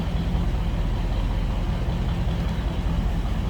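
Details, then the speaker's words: 1955 Ford Fairlane Crown Victoria V8 with Edelbrock carb, idling, heard from the rear exhaust; deep steady throaty rumble, even beat, no ticks or misses, mild exhaust; normal healthy idle. "Sounds good. Slip around to the back, maybe hear it a little bit better now."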